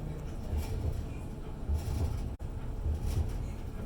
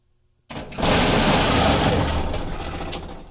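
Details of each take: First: Electrolux dryer after repair, where the pulley had come completely off and the drum stopped spinning after long running like a loud truck engine. Now a low, even rumble with a soft tumble thump about once a second, no squeal or scraping, running smoothly. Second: Electrolux dryer, noisy for a long time and now with the drum no longer spinning: a harsh, loud rattling roar like a big engine as soon as it starts, with no drum rhythm; the drum drive pulley has come completely detached.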